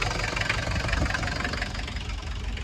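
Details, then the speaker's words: Diesel car ("Rotten Red") running after a valve adjustment and injector removal, pop testing and rebuild, previously very smoky; steady idle with usual injector clatter over a low even rumble, no stumble or misfire, no smoke, normal diesel idle. "look at no smoke though no smoke no smoke awesome"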